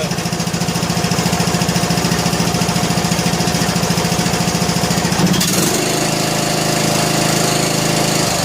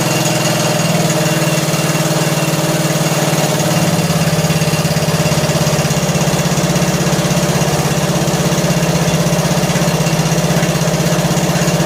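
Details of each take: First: John Deere L100 lawn tractor single-cylinder engine, choked, on a weak charging battery, after loose intake and exhaust were tightened: quick even firing pulses settling to a smooth steady note, no tapping; normal running. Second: John Deere L100 lawn tractor single-cylinder engine, long sat, just started and warming: rough idle with light quick tick over the thump, quieting slightly as it warms and mostly gone when revved; loose valve lash, valves need adjusting.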